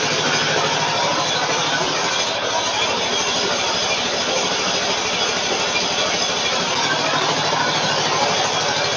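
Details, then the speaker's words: Gravely Pro Turn 160 zero-turn mower, Kohler ZT740 (about 25–26 hp) twin, engine loose on frame, idling near low speed with an uneven, lumpy beat, running on one cylinder; right exhaust 69° versus left 240°, ignition coils suspected. "And uh it it was running good and all a sudden started running poorly. Like it's only running on one cylinder."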